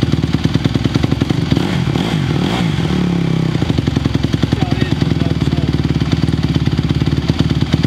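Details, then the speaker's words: 2020 Honda CRF150R big-wheel single-cylinder four-stroke dirt bike, long sat, started from completely cold on choke; steady thump, picks up cleanly on short blip and settles back; still a little cold, better throttle response choke off; normal cold running. "It's still a little cold. I think these guys are a little cold-blooded, but throttle response with the choke off did feel better."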